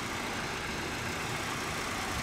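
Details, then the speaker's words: Honda Civic at 168,925 miles, 10,000-mile drain interval on Shell Rotella Gas Truck oil, idling: steady, even hum with no misses, knocks or ticks, running perfectly smooth; healthy normal idle. "I'm gonna turn on the engine let it cycle through I'm gonna check the dipstick and you know I'll just have just have to add some if it needs more because here is just running perfectly smooth"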